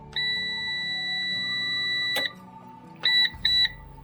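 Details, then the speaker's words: PowerShield PSCRT2000 line-interactive pure-sinewave UPS after its battery is reconnected; the battery alarm persists as a long high beep then two short beeps in a quiet room. It clears only after the UPS is switched off and back on. "Kết nối lại pin. Và báo thức sẽ vẫn hoạt động. Để tắt báo thức."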